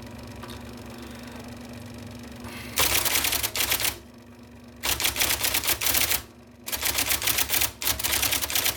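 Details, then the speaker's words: 1979 IBM Selectric II (non-correcting) electric typewriter typing after restoration (plug rewired, cleaned, lubricated); crisp, definite keystroke bursts over a quiet motor whir; working properly. "I love that noise it's it's very definite it tells you in no uncertain terms I am typing letters for you"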